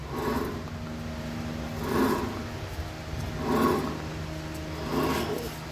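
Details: Ford Everest spindle (wheel) bearing: a low droning roar swells and fades about every second and a half while rolling, clearly heard from above; a worn wheel bearing.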